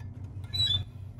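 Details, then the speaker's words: Car raised on stands with the wheels spinning as if driving: over a low wheel rumble, a short high squeak rises and fades at one point per turn of the front left wheel, where the brake disc rubs and shows a whitish mark. "algo que también podemos notar es que el rechinido se escucha en cierta parte de la rueda aquí no se escucha nada hasta que pase en cierto punto es donde rechina"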